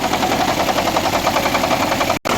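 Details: 2009 Nissan Altima Hybrid that would not go into ready mode, during a 10-second auto crank: rough, uneven running with irregular pops and stumbles in the firing rhythm; misfire from a shorting ignition coil.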